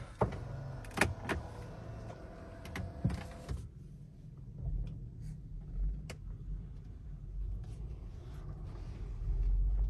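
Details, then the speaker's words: Three-year-old Tesla Model 3 driving after the service centre replaced worn upper control arms that had squeaked loudly for 5,500 km: slow rolling rumble with a few light clicks as the wheel turns, no squeal; steering and front suspension now quiet. "Ein Träumchen. Wie ihr hört, hört ihr nichts mehr. 5.500 Kilometer hat uns das jetzt begleitet und das war wirklich laut. Unglaublich. Und jetzt schnurrt er wieder dahin."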